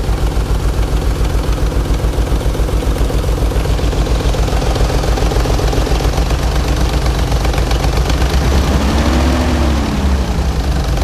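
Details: 1992 Nissan 300ZX, 129,000 miles, bought cheap and runs like crap; low, lumpy idle with uneven pulse about 3.5 beats a second. Rough running; owner considers injectors, timing belt or head trouble, compression check pending, cause unconfirmed.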